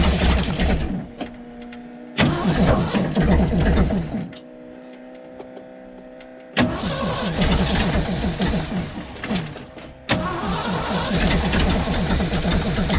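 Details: 1975 Ford F750 pipeline truck restarted after sitting, battery just hooked up and fuel reaching the carburettor filter: starter churns in long bursts, roughly three turns a second, engine coughs and nearly catches but won't keep running; hard start, cause unconfirmed.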